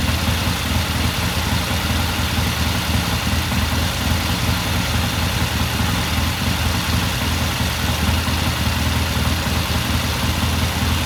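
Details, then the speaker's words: 1969 Triumph TR6 motorcycle twin after pilot jet cleaning and a half-turn pilot air adjustment, idling after cold start: steady even beat held throughout, no misses or stumbles; normal warm-up idle. "It sounds good. I'm just going to let it sit here and idle for a while."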